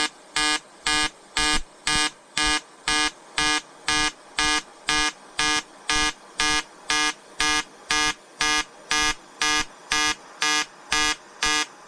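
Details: EWM Tetrix XQ 230 Puls AC/DC inverter TIG welding 5000-series aluminium lap joint: 2.4 mm lanthanated tungsten, 2 mm filler, 94 A pulsed (0.20 s pulse/0.30 s pause), 150 Hz rectangular AC. Crisp even electric buzz pulsing about twice a second, steady pitch; normal AC TIG arc.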